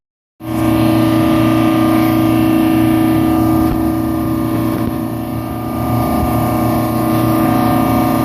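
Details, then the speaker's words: Rooftop HVAC unit 13 on a mall roof, compressors running with the mall interior at 70 degrees: constant smooth drone with a few steady tones, no knocking or rattling; running normally. "This is an example of a unit running free. It's 70 degrees down inside the mall, and right here the compressors are running."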